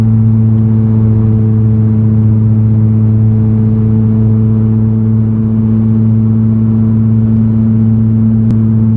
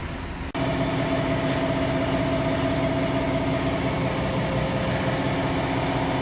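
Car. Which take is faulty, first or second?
first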